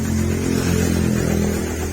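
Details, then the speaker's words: TMX Supremo 150 single-cylinder motorcycle, after water-filled tank and carburetor cleaning and reassembly: steady even beat as throttle opens, no stumble or die-out; fuelling now clean. "so try natin siyang pigain Ayun oh Okay so good siya mga pre"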